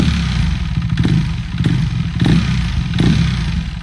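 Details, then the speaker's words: Wrecked salvage KTM Duke 390 single-cylinder, warmed up after a test ride: bark with a metallic rattle/knocking on each throttle blip, coming from the motor; owner unsure whether normal, cause unknown. "And my only other issue is the rattling sound that's coming from the motor. I'm not sure if that's how it's supposed to sound."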